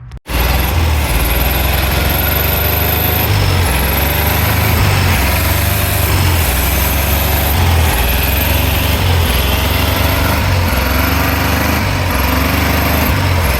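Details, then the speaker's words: 1964 VW Beetle with its original 40 hp air-cooled flat-four, first run after about 30 years of sitting, old fuel being flushed: uneven, lumpy idle, rough running and low power; the engine likely needs a rebuild. "So, we got the engine running today. Um, it runs not awesome. I think this engine's going to need a rebuild, unfortunately."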